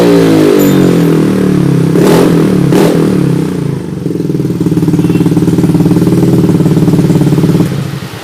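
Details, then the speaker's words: Yamaha Mio J fuel-injected scooter after throttle body, injector and ISC sensor cleaning and ISC reset: cranks briefly, catches, settles to steady even idle with clean throttle blips, no knocks; normal start and rev. "Kita starter. Coba kita belayer."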